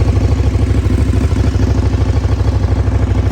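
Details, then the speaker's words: Motorcycle at idle, due for new plugs: steady idle with an even light tick over the low thrum, about three per second; owner suspects the valves need checking, not confirmed. "You probably can hear there is a problem with them when we get it started. You hear the old foot pump ticking over."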